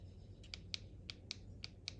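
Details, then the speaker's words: Beast B6 blender base, blade assembly rotated so blades press the two lid safety sensor buttons under the rubber cushion: six crisp light clicks over faint hum; both switches must press to signal okay to blend and turn LED white, working properly. "So what we just did there is both of those buttons need to be pressed in order for it to pass on the signal over the temperature sensor back to the blender and let it know it's okay to blend and turn that LED white."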